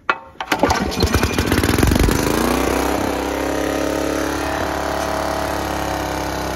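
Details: Free Snapper riding mower, Tecumseh engine, after adjusting choke cable, on half choke: cranks, catches with a few ragged pops, then settles within three seconds into a steady, even idle; runs fine.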